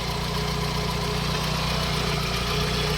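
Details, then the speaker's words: Mitsubishi 4G63 petrol engine after repair, idling with AC on and compressor engaged, two fans running, engine not yet hot: even, steady idle hum with constant rhythm, no ticks, knocks or hunting; healthy four-cylinder idle. "อันนี้ขณะเดินเบาอยู่นะครับครับเปิดแอร์ขณะเดินเบาอันนี้ทำงานแล้วคอแอร์ทำนะครับพัดลมก็จะหมุน2ตัว"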